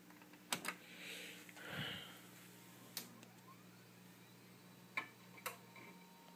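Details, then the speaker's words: Packard Bell Legend 3450 at power-on with a Western Digital hard drive, cloned from the original Maxtor 8 GB drive: the drive gives a little clunk at start, with sharp seek clicks over a faint spin-up hum. Normal; the PC is otherwise quiet. "you can hear that Western is alittle drivers clunk when you first turn it on I love those drives"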